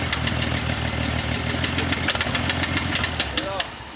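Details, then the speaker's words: 1960 Bombi tank, first start after the distributor was rotated 180 degrees and ATF left in the cylinders: uneven idle with light sharp ticking a few times a second; suspected valve noise and slight knock, not confirmed. "wow oh that's a valve a wee bit of knock in here"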